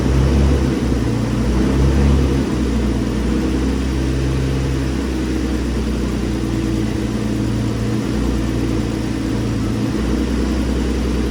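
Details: Infiniti G35, very high mileage, first start-up after twin-turbo install on a base map ECU tune: smooth low steady idle, slight speed drift, no knocks or misfires; running pretty smooth, heat wrap smoking. Normal idle.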